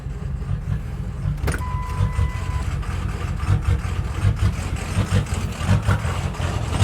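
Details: 6.0 diesel with rough, loping, stumbling idle from plugged injectors and a bad tune; smooths out when in reverse against the parking stick, returns in neutral.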